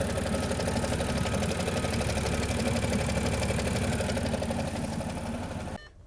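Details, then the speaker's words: Audi S4 B8.5 3.0 TFSI supercharged V6, over 400 hp, aftermarket exhaust, metal found earlier, no fault codes: idle with a quick, fairly regular metallic tapping until shutdown; internal fault suspected (chains or bottom end), not confirmed. "yeah i can i can start hearing the noises you can probably hear it as well definitely don't sound very healthy"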